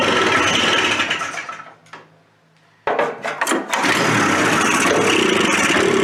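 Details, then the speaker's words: Old Suzuki Fury two-stroke sled with suspected ignition trouble, started on half choke: catches, sputters unevenly, nearly dies, then picks up with ragged firing. Rough running, cause unconfirmed. "maybe we'll give it some half choke that's starting off dismal really"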